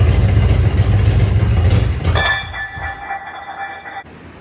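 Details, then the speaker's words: Third-generation Camaro Z28 with 305 H.O. V8 after fuel system overhaul: heavy lumpy rumble for a couple of seconds, then it starves and quits. Runs only on fuel poured into the carburetor; the gravity feed line is not delivering, a suspected fuel delivery issue. "It clearly seems like a fuel delivery issue when I'm able to get it to start and run for any decent amount of time. It's basically from pouring fuel into the carburetor. And it'll run for a little bit, but it's still not getting fuel from my gravity feed line."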